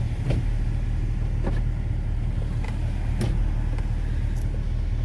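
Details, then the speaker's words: MK4 Golf GTI 1.8T, new tune, just fitted uprated DeatschWerks DW65C fuel pump: fired first shot, steady smooth low idle rumble with even firing, light outside clicks; healthy normal idle after pump swap. "new fuel pump in fired straight up again first shot can't go wrong can't complain with that"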